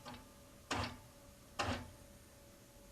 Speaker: listen to it as it goes it's absolutely quiet in between the stitches that's a demonstration of how the motor is turning on and off every time a stitch is made the motor isn't even running in between